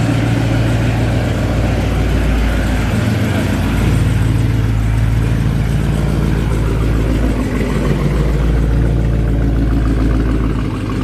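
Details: Dodge Charger Scat Pack V8 start-up after new front and rear bumpers were installed: deep, even burble with a brief rev, steady rhythm, no knocks or misses; healthy idle.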